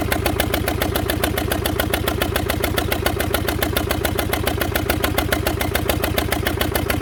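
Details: Previously seized Fordson Major diesel run on a jury-rigged tank feeding the injector pump directly, bypassing the filters; rings possibly stuck: steady heavy diesel chuffing at about 3.5 beats a second. Rough running, cause unconfirmed.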